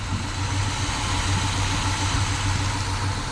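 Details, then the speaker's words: 1957 Chevy Bel Air after 30 years off road, fuel leaks traced down and thought fixed, radiator leaking; even, steady low idle rumble with no misses, ticks or knocks; quiet, smooth and healthy. "it's quiet easy to drive"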